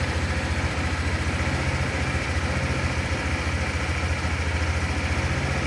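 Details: Fuel-injected Honda motorcycle started after resetting the ECU with an SLS jumper on the DLC: steady, even putter at idle with a regular low beat and no misses, knocks or hunting; normal idle.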